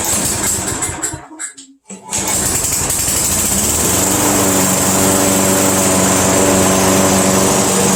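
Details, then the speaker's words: Craftsman Eager 1 self-propelled mower that was hard to start in the cold, now started after warming for a while in a heated room: pull-start rattle, a short gap, then it catches and settles into a smooth, even, steady buzz. "so so there you go it runs nicely just took a little while to get it started"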